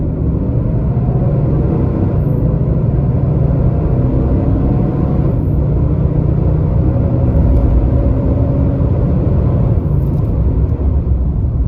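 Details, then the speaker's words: 2022 Nissan Titan driving through all gears with the fan clutch failed and stuck locked: a heavy, steady jet-like roar and constant whoosh over the engine. The viscous fan clutch stays locked the whole time. "here we go listen the fan is locked up the entire time it's still locked up that's all fan noise got to be proof enough"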